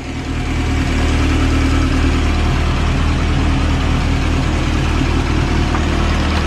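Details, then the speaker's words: 1930s Morris 8 Series 1 engine at idle with choke pushed in a bit, oil pressure good despite old oil, no leaks; even steady idle with soft low throb, no knocks, misses or hunting, described as sweet sounding; normal idle. "i think we put the choke in a bit now sounding all right it's a pretty sweet sounding engine if i'm"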